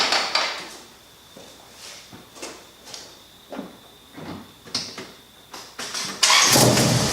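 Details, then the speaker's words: 1996 Honda Accord first start after head gasket job, exhaust valves ground, valve lash set: several seconds of uneven cranking, then catches and settles into a steady even idle; normal start and idle. "Sounds good. Wow, he loves life. That sounds so good."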